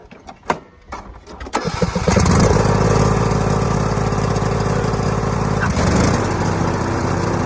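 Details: John Deere E100 lawn mower after replacing the mower deck belt (part GX20072): a couple of cranks, catches in about two seconds and settles into a steady, even single-cylinder run; healthy start.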